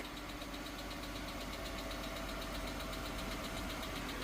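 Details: Chrysler 3.6L Pentastar Gen 2 petrol V6 at cold idle, first thing in the morning: a sharp, light ticking about four per second, suspected on bank one, in the valvetrain. The aluminum oil cooler was considered as a possible cause.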